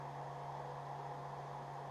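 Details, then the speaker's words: CPU fan under load in a small Steam Machine-style PC build, with GPU near max temperature and GPU fan at about 4,200 RPM; steady airy rush, constant low hum, faint high tone: loud fan noise under load. "The GPU is pretty much at max temp now and we can see the fan is spinning at about 4,200 RPM, which That's about as loud as that gets."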